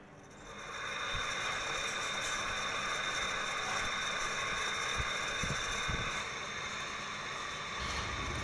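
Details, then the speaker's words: LG window AC fan motor: steady hum with harsh rattling chatter about three or four per second; worn fan motor bearing, to be replaced. "तो दोस्तों देखिए, इसमें बेरिंग का प्रॉब्लम है और इसमें गड़गड़ करके आवाज़ आ रही है।"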